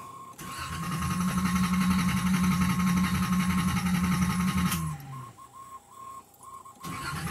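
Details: Nissan Z31 after a new fuel pump assembly was fitted and the system primed: the starter churns for about four seconds without catching. Crank, no start, later traced to fuel lines installed backwards.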